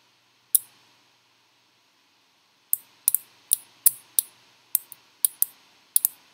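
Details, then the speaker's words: Relay module on pin 13 with 5 V supply, powered up and driven by a relay demo sketch: crisp single clicks with short pauses as the relay switches on cleanly; relay clicking normally. "i'm going to plug the module in and maybe well if it works we should hear the relay click"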